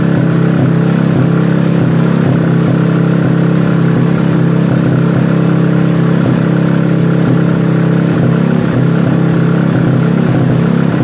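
Small single-cylinder engine running steady and even at a fast idle, firing pulse regular with no knocks or misses.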